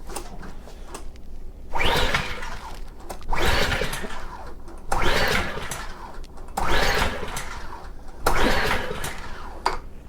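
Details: Subaru EA190V pressure washer engine, five recoil pulls on choke turn it over but it never fires; fuel on, oil and air filter checked; water and debris found in the carburetor bowl.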